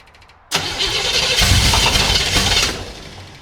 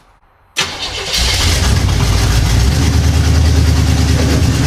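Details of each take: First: 1975 Chevy Monza 2+2 with swapped-in 350 small-block V8, sat about 20 years: engine barks into life, stumbles roughly about two seconds and fades out; timing light shows no spark, traced to a faulty distributor. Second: 1975 Chevy Monza 2+2 with 350 small-block V8 swap, sat about 20 years, after replacing the faulty distributor: catches after short crank and settles into deep, steady, lumpy idle holding by itself, sounding mean; normal running.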